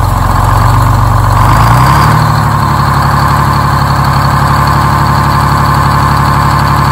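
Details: Detroit Diesel 6-71 after a very cold night, low battery with a charger connected so it turns over faster: quick crank, fires immediately and settles into a steady, even low-rumble diesel idle; starting normally.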